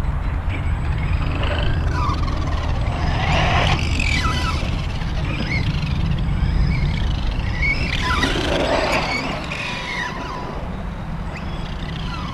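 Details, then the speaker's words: Arrma Outcast 4S BLX RC car on its first run on 4S, won't even wheelie; motor whine sweeps in bursts over a hollow rattling drive, the owner suspects a loose slipper clutch needing tightening. "let me check it that sound like my slipper could sli"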